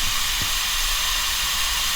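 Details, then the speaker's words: Air compressor pressure regulator: loud, constant high hiss of air bleeding out, owner suspects a blown gasket or rubber diaphragm, before repair. "You can hear the hissing on half my videos and stuff. Plus, it's just annoying to me."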